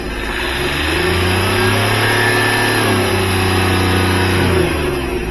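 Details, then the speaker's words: Hyundai Xcent diesel, previously knocking and late-starting, two injectors repaired four months earlier, injector return test fine: revs up smoothly, holds and drops back cleanly with no knock or rattle; normal. "Race भी दे दी दिक्कत क्या आ रही हैय आवाज कर आवाज भी ऐसे अभी रेस दया आपने कोई टक टक टक की आवाज तो है नहीं"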